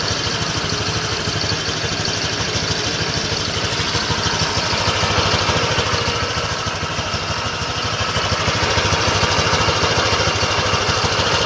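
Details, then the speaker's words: Honda Click V3 2023 scooter at idle: busy idle with a steady pulse near three per second and lots of high clatter over it; noisy idle, cause not identified. "Napakinggan nyo yung ingay ng Honda Click version three twenty twenty-three model."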